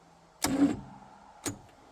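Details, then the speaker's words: 1958 Chevrolet Biscayne straight-six, parked 40+ years and previously seized, cranking attempt; brief labored starter grind stops dead at a hard spot, then a clunk on retry; owner suspects battery not fully charged. "Sounds like the battery might not have full charge to it."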